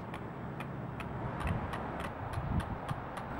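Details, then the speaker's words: Radio Flyer 4-in-1 Stroll 'N Trike model 811 front wheel turning while the pedals stay still: light, sharp clicks about twice a second, normal ratcheting of the freewheel clutch. "function similar to that of a bicycle because of this during the early phases of riding the trike you will hear a clicking sound"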